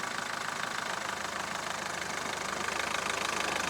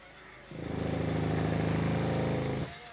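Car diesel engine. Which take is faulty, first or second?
second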